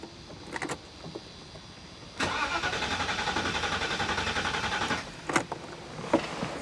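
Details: 1985 Euro Mercedes 500SEC widebody, long-sitting, fresh gasoline poured in, about 95°F: starter cranks steadily about three seconds but the engine never catches; fuel pump suspected, later relay and injectors addressed before it fired.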